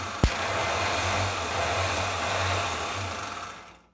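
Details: Mercedes-Benz MB 710 truck JF starter motor, bench test wired directly to solenoid: whirs with steady drone and slight uneven surging, then cuts off sharply; shuddering reported, starter fails test, cause not found.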